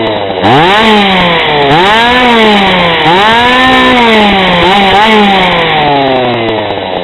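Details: GoPed GSR40 two-stroke with 603 carb, TGN manifold, mild port, stock coil, near tuned before adjustment: crisp buzzing idle, jumps to high revs on throttle blips and drops back cleanly; good idle and throttle response.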